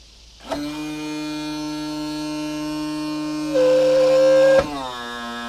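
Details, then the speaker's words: New tilt and trim motor on a 2014 Yamaha 250 SHO outboard, cycled up and down while bleeding: electric whine stepping up in pitch under load, dropping on reverse; abnormal noise, probably needs more fluid. "It shouldn't be making noises like that. Uh, and that's probably because it needs a little more air or I'm sorry, a little more fluid."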